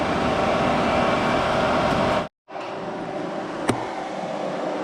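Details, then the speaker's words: 2004 Arctic Cat 500 TBX ATV, hot idle after an overheating fix (blown 15 amp fuse replaced): steady, even whoosh of the radiator fan, which now runs with key on and engine hot; fan working normally. "Okay, so the fan finally came on. There you hear it. So as long as the key's on and it's hot enough for it to need the fan will run."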